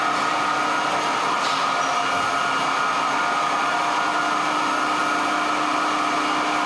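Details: 1924 Alexanderson alternator SAQ at Grimeton radio station at speed, motor speed held constant by control resistor, cooling fan running: steady high whine with a few constant tones over fan rush; running normally.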